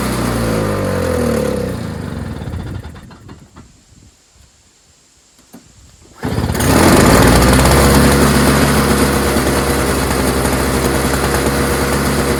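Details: Toro CCR 3650 snowblower, warm, sat unused for months with gas in it, no work done: engine dies away, then restarts with a quick, crisp, even buzz settling into a steady rhythm; runs normally.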